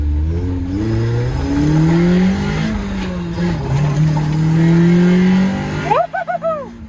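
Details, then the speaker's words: Abandoned Honda Civic EF9 being checked before it is trailered away for restoration: the engine revs up cleanly several times and settles back with no stumbles or rattles, so it runs fine. "Before we load it on, just had to check if she was running all good."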